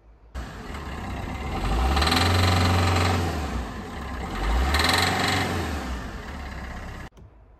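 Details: Peugeot Bipper 1.3 diesel on cold start: hard, rapid knock growing louder with two rev blips; engine rattle when cold, diagnosed as diesel knock via leak-off test; fault code present, diesel treatment reportedly improved it.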